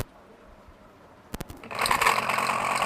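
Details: 9-inch small air-cooler motor making excessive noise, before repair: switch clicks then loud rough rattling whir over a hum – worn motor bush and shaft, fixed by bush/shaft change.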